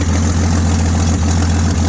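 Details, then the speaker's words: 1979 AMC Jeep J10 258 inline six just started, choke coming off: low even rumble with steady beat, no misses, knocks or surging; runs clean with oil pressure, fuel line leaking, possibly not charging. "Wow, runs good. Choke's coming off. Man, she runs sweet."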